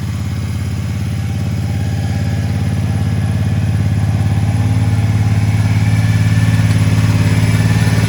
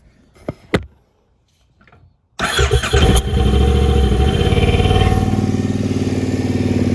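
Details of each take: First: Triumph Speedmaster twin idling with an even, subdued thump that firms slightly with revs, on used replacement pipes from a crashed bike; much quieter and smoother than the old broken pipes, with no popping; normal idle. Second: Triumph Speedmaster twin starts and settles into a deep, lumpy idle with a harsh, ear-ringingly loud bark from its original Triumph pipes; recorded before swapping to used pipes.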